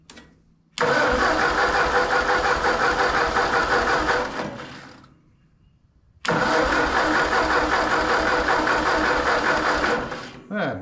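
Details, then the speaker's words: Ford 8N tractor after rebuild, first start attempt: two bursts of cranking at about three turns a second dying away without firing; battery weak, jumper pack brought in. "Jumper pack. We got battery's dying. Why would the [ __ ] stop? The battery's dying."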